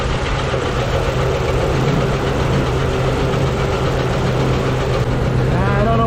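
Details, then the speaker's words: Uneven idle with a loose, irregular knock deep inside, about four a second, valve cover off. Valves partly dry, all moving. Owner suspects the cam or a valve. Penetrant tried; cause unconfirmed. "Could be. It sounds internal. Maybe it's the cam."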